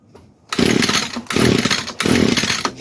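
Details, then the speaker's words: 22-year-old Echo two-stroke string trimmer, sat for years, at full choke and full throttle: three short rasping bursts each dying in under a second; won't keep running, carburetor not supplying enough fuel. "Yeah, see, this carb is just not really giving it enough fuel. I can run it with the choke on. This is full choke, full throttle. But this carburetor is not happy."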